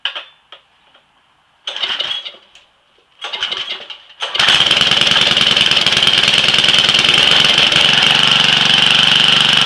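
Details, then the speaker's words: Small weed eater started cold with choke: a few pulls, then catches and settles into steady even buzzing run, no misses. Normal cold start and idle. "this hasn't been started since this is october started right up huh"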